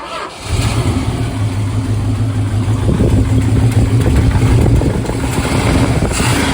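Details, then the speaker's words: 1970 Plymouth Hemi 'Cuda V8, cold-blooded, lumpy loping idle right after start with smoke, running on seven cylinders; number one cylinder dead, misfire suspected non-mechanical since cranking compression sounded great (no gauge test). "I thought the cloud of smoke on Startup might be promising but number one still isn't winning with us now I'm not thinking mechanical issue because cranking compression sounded great"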